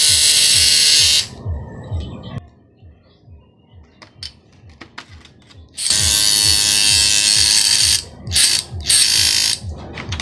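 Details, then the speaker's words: Harsh, rattling high buzz in bursts from a hair clipper whose two blades are loose and chatter against each other; the fix is bending the blade spring outward so it presses the blades together. "kaya po maingay yung mga clipper natin kasi medyo maluwag po yung Blade niya yung dalawang Blade maluwag"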